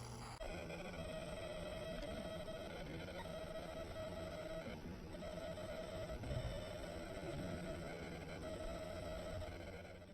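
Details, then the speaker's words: Old Lenovo ThinkCentre server internal PC speaker under high CPU and disk load; buzzy warbling electronic noise with steady ~600 Hz whine that comes and goes, quieter when speaker hole covered: electrical interference. "there's a lot of interference when there's high cpu load and disc load"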